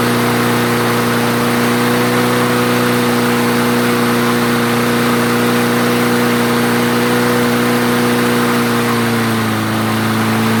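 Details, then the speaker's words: Craftsman self-propelled mower after the clogged jet was cleared; idle governor adjusted back down, having been raised earlier likely because the jet was clogging. Strong steady hum holding speed, then settling to a slightly lower even note; normal running. "okay so i gave it a little uh governor adjustment there on the idle because when i was test cutting with it i upped the idle a little bit probably because that stuff was maybe starting to clog up in the jet"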